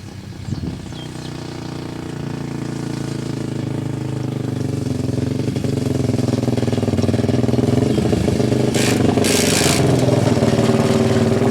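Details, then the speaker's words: Yamaha 660 Raptor ATV after oil leak repair, ridden: single-cylinder thumps about four per second that swell but won't rev out under load; riders suspect clutch slipping or not quite tuned right, unconfirmed. "it doesn't sound like it it sounds like the clutch and slip and we're riding it yeah first works fine you just can't rip it all the way out because it's not quite tuned right"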